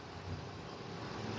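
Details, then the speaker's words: 2020 Ford F53 with replaced 7.3 V8, just started after engine replacement, before a power balance test: steady, even low rumble with no skips or knocks. Previously cylinder 4 misfired (P0304), but now it idles smoothly on all cylinders. "todavía no lo estoy detallando poco a poco porque estoy bien ocupado verdad pero el motor se oye de maravilla"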